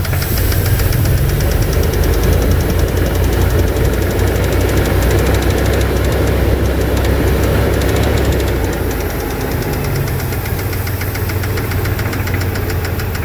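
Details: 2002 Dodge Dakota 4.7 V8 idling: fast, rough tapping running through the whole idle; owner suspects lifters or piston slap, cause unconfirmed.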